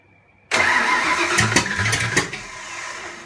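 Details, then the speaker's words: Fox Body 302 HCI turbo build, first start with turbo off: brief whirring crank with a few weak pops, the V8 never catches and dies; ignition timing too retarded, fixed by adjusting the distributor. "all right so as you saw the engine successfully started we had to adjust the distributor"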